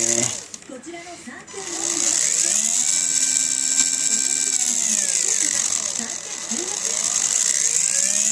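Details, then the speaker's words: TXT1 gearbox after pinion backlash adjustment: high gear whir with light regular clicking a few beats per second; regular clicking noise judged within acceptable range before reassembly. "まあ規則的なカリカリ音なので、規則ではないですよね。許容範囲ということで、これでよしとしましょう。"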